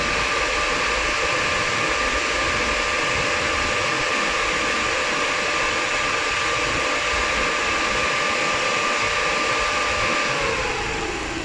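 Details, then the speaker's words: Ford EcoSport, coolant around 100°C after road driving; the radiator fan's second (high) speed switches on with a loud, steady rushing roar and no rattles, then winds down; low speed not running despite the ECU signal; high speed normal. "okay se prendió la se prendió la segunda velocidad vamos a esperar que se enfríe"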